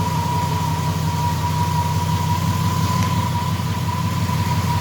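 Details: Triumph Stag V8 after engine rebuild, lumpy idle with a steady high-pitched whine; noise seems to start only after revving to extinguish the ignition light; source unknown.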